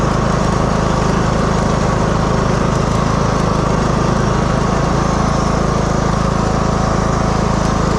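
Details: 2015 Craftsman T2200 lawn tractor, 19hp Briggs and Stratton, automatic General Transmissions transmission, driving in rain after cleaning debris from transmission and reassembly. Steady even drone, no surging, slipping or grinding; transmission drive working perfectly.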